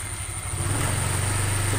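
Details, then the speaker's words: Honda Vario 125 CVT after fixing the klotok knocking heard as revs drop; steady low drone with smooth even hum and no belt-drive clatter. Battery is weak, so starting is sluggish. CVT running normally. "Apakah halus atau masih kasar ini akinya sih Agak lemot ini maklum Yang punya itu bapak ya [Tepuk tangan] haluskan teman-teman mudah caranya seperti itu"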